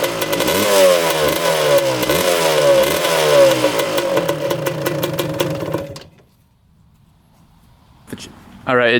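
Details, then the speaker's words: 1986 Suzuki LT250R two-stroke quad, early model without power valves, started on choke with fuel on reserve and a loud exhaust possibly needing repacking: revs and wavers, then sputters out when taken off choke. Suspected to need a carb clean and a fuel change. "just died when we took the choke off so I think it probably does need a carb clean and maybe a fuel change"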